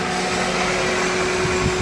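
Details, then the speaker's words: 2003 Toyota Corolla 1.8 L 4-cylinder with AC, idling just after accessory drive belt replacement, in Arizona summer heat: steady even idle hum with constant accessory whir, no belt squeal or chirp; normal idle. "New belt. Don't have to worry about it blowing out on me."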